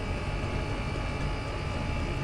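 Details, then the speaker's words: Chinese diesel air heater on setting 3 of 6, exhaust routed through a water bucket: constant low roar, no surging or popping, pipes starting to shake a little; burning evenly, running normally. "It's quite funny. The pipes are starting to shake a little bit."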